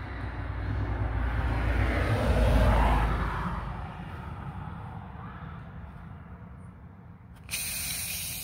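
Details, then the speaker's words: 6.0 Powerstroke diesel started cold after sitting overnight: steady rushing hiss from the opened coolant reservoir cap within a minute, easing off, over low diesel rumble, with fumes; confirmed blown head gasket. "listen to all that pressure after only a minute and you can see the fumes coming out [Applause] pretty dang sure that's a blown heady gasket"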